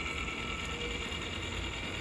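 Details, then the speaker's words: Fan-Tastic Vent RV roof fan (pre-2014 model) after lift motor replacement: soft steady whir with a few faint clicks as the lid lifts and fan spins evenly, no grinding, working normally. "Turn it on. Motor's doing spinny thing. Lid is doing lifty thing. There's the fan."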